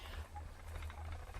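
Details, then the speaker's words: Spinning wheel being spun after cleaning, faint short chirps about twice a second in step with the wheel; rotating squeak persists despite cleaning, source not yet found. "because I can hear the wheels squeaking I may not have got it"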